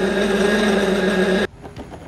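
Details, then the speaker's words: Compact DIY lathe/mill tool turning a brass part: a steady droning hum with heavy vibration, then it cuts out; the chatter came from loose X-axis retaining bolts, and tightening them fixed it. "C'est une pièce très simple mais je pense qu'elle est parfaite. Quelque chose ne va pas. Ce son est quelque chose"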